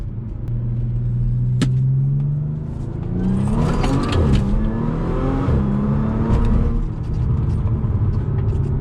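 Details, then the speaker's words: Supercharged Audi after mufflers, smaller than factory, were refitted, heard driving from the cabin: a moderate exhaust note through rising and falling revs with the supercharger whine clear; drone gone, a bit louder than factory. "Yeah, it feels completely different because it's not so loud. You can hear the other things. It actually makes the car feel a bit faster."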